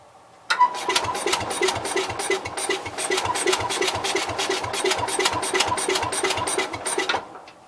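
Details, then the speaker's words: Cub Cadet 122 lawn tractor: steady chugging crank at about three compressions a second, never catching. Owner suspects lost spark or leaking valves, possibly a burnt mouse nest or electrical fault; unsure. Cranking no-start. "Alright. I think we lost spark. Well, kind of seems like the valves are leaking."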